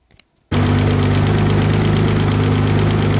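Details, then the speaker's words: Mitsubishi 3000GT VR4 engine that sat over a year, running again once oil reached the top end: a steady idle with a fast, light, irregular ticking; the owner attributes it to worn cams and says new cams are needed. "there's a cam it's a cam there's nothing new about it we're gonna need new cams"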